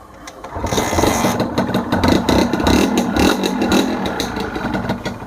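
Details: Honda NSR 150R two-stroke in original factory condition starts easily and settles into a crisp, popping idle with a buzzy exhaust; engine quiet and tight, temperature normal, healthy.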